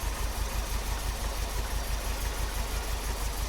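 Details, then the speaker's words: MGB GT after ignition timing was adjusted and idle raised to about 700 rpm. Quiet, low, even idle pulsing about three times a second with no misfires or knocks; ticking over smoothly. "Okay, so I've adjusted it. So the timing's now at about 700, the rev."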